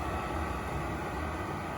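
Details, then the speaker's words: Chinese eBay diesel heater powered off by its button and going through its required cool-down cycle, running on a portable power station. Quiet, even fan rush and low hum with no sputter or rattle; normal cool-down. "and from everything i've seen it has to go through a cool down cycle so you don't want to disconnect it from power or anything just let it do its thing"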